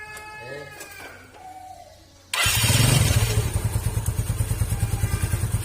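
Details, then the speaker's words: Yamaha Mio scooter fitted with Honda Beat double clutch lining (kampas ganda) replacing worn, loose aftermarket part that sounded very rough: after a pause it starts and runs an even beat, about three pulses a second; CVT clutch now smooth. "sininya jadinya halus kan. Ini tadi kalau pakai ini itu suaranya kasar banget, soalnya udah oplas ini nih."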